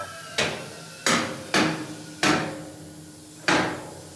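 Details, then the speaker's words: Handy SAM 1200 airbag motorcycle lift raised by pedal; five sharp metallic clacks at uneven spacing as safety locks engage on the way up; normal lift safety locks engaging. "So those are that sound you heard was the locks going up. On the way up."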